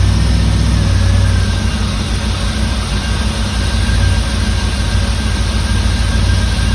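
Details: 1989 Firebird Formula 350, 10,000 miles, long stored, injectors gummed and being tapped free: deep uneven idle that lopes and stumbles, several cylinders seemingly misfiring; cause suspected, not confirmed.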